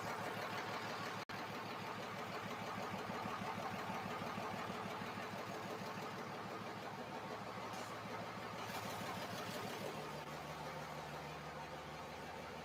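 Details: Freshly reinstalled 5.9 Cummins diesel in a truck, run after tightening transmission lines, no antifreeze in it yet: catches and settles into an even, steady idle clatter with no misfire or stumble. Normal idle.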